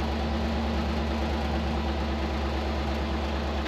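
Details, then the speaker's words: Barn-find squarebody Chevy C20 pickup with three-speed automatic, out of service a long time: steady, even low idle rumble with constant beat, no knocks or stumbles after first start; healthy runner. "fuel pump kicks on oh baby and we got ourselves a runner listen to that thing"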